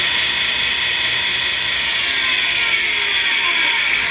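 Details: KMG 2x72 belt grinder, normally very quiet, started screeching while grinding knives: a constant high-pitched, gritty screech over the belt hiss. A platen wheel bearing is seizing.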